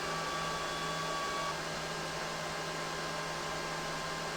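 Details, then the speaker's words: EG4 Chargeverter Plus 48V battery charger, charge current dropped from about 95 A to 80 A: fans fall from 11,000 rpm toward 9,000 rpm, steady whoosh whose faint whine drops out as they slow; normal fan run-down. "Let's drop this down to 70. See what the fans do. Or 80, let's do 80. Fans still at 11,000. Now they're ramping"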